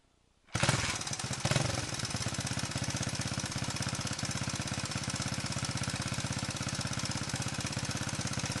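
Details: 125 XLS engine starts and settles into a rough, slightly uneven chuffing idle with a faint clatter on top; abnormal engine noise, cause unclear.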